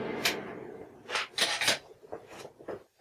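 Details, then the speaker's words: MIG welding 3 mm (1/8 in) steel, volts at maximum, gas at 3 L/min: short bursts of crisp bacon-fry crackle with quiet gaps, the sound wanted when wire speed is right; too little shielding gas would give banging. "you could hear that crackling sound that's the sound that you want"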